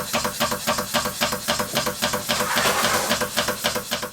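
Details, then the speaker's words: Stuart beam engine as first received, before repair: sharp, even metallic knock about 220 times a minute over the light hiss of the running engine, from the worn connecting rod big-end bush, later replaced with a new bronze bush. "Every time I fiddled with the engine, it started knocking, an"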